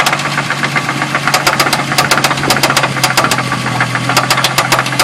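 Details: 2000 Ford Mustang after 5-10 minutes of running, honey added to the engine: sharp, steady ticking knock several times a second at warm idle. Possible rod knock, unconfirmed.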